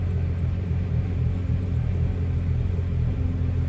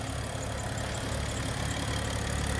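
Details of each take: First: BMW 335i cold start after sitting about a week and a half: low idle rumble with a slightly uneven, wavering beat, rough at first; failing high pressure fuel pump suspected, code stored. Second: BMW 335i, high pressure fuel pump failing with codes, warm: even, smooth idle with light fast sewing-machine patter and no misses; engine runs well.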